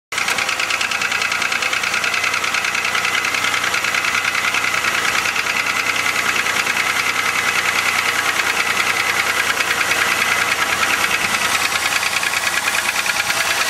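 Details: 2000 Chevrolet Malibu 3.1 V6 with 145,000 km, on a cold start at idle: fast, fairly even knocking that stays loud; gasket replaced, flush and thicker oil didn't help; owner suspects piston slap, unconfirmed.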